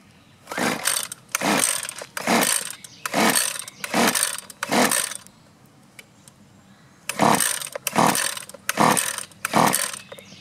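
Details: Husqvarna 128LD string trimmer, pulled with choke on: nine regular rasping pull-cord strokes with no firing at all; no-start from fuel starvation, as rotten, leaking fuel lines kept fuel from the carburetor, fixed with new lines and filter.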